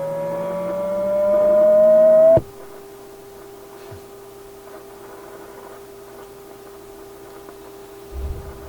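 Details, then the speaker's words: Restored Atwater Kent 944 tube radio during alignment: a loud whistling howl slides up in pitch while tuning, then drops to a quieter steady tone. The IF stage goes into oscillation when its adjustment is turned in too far. "If I go too far, it flips into oscillation on its own. It becomes another oscillator. So I think that's the problem there. That's why we're getting the howl."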